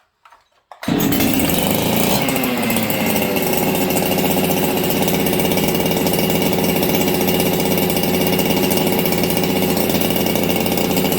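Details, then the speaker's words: Ported Husqvarna 266XP chainsaw, first start in a year, not yet warmed up, shop near freezing and humid: fast, slightly uneven idle with a stumble; lean low-speed mixture, fixed by turning the low jet about 1/8 turn. "Hey friends, you hear how this thing's kind of idling fast? I'm gonna go in. I don't think it's a idle issue. It's got a little stumble."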